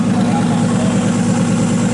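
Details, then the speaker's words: RB26-swapped Subaru WRX on Haltech Platinum ECU base map, first start, fuel mixture brought from 15–16 down to 12: smooth, even idle with steady low drone, no misfires or stumbles — normal idle. "So yeah, sounds good. Really good. We don't hear any misfires anymore."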